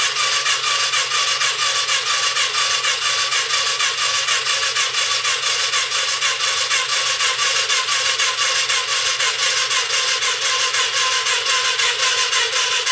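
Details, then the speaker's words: Yamaha Virago XV535 bobber project during fuel pump flow test: starter labours at about two slow beats a second with no firing; battery nearly flat despite a day or so on charge. "as we can hear there the batter is pretty much coughed its last or despite it being on charge for a day or so"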